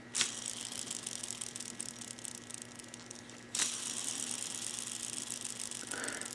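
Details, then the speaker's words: Yamaha WR426F engine teardown, PTO-side crankshaft bearing spun by hand after removal: dry gritty rattle instead of smooth whir, damaged inner race, red RTV found in bearing; rough crankshaft bearing. "that is pretty gnarly and you you'll never be able to see but on the inner race oh maybe you can right there"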